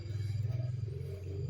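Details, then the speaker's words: LG single-tub washing machine set to spin only, drain motor normal: drum spins but wobbles, low motor hum throbs unevenly, then the sensor trips protection. "Nah, berputar tapi goyang-goyang ya tuh. Nah, tuh langsung protek ya sensornya."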